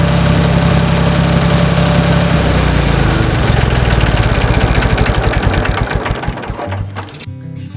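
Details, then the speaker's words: Tractor after replacing the broken starter and fried starter solenoid: starter spins briefly and the engine catches quickly, almost like a car, then settles into a steady, even idle; a clean, healthy start. "I mean this sounds almost like starting up a car when I started and you're only talking about maybe a hundred dollars in parts"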